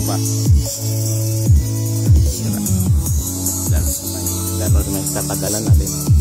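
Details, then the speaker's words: JBL Xtreme speaker after repair, cracked speaker cone cleaned and glued: music plays clean with deep, firm bass and no buzz or rattle on hard hits; the speaker sounds good. "Mukhang bago malinis yan. Ang ganda ng tunog yan lang talaga."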